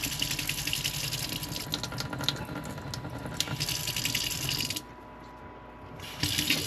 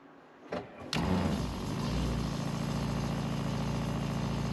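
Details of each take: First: RV water pump running off the fresh-water holding tank, before installing a pressure-sensing pump controller: faucet stream pulsates, surges and splutters, drops out about a second then rushes back, splattering water as the pump cycles on and off. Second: RV water pump after installing a controller module: switches on after a second and settles into a steady, even low hum with no surging; flow now smooth, no more pulsating.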